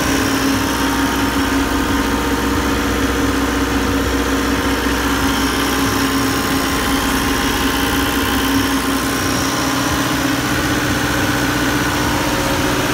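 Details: Condominium standby generator running again after a fault in its automatic transfer switch (QTA) control system; the engine itself was fine. Smooth, constant diesel drone with an even low hum and no knocks or hunting; healthy at idle.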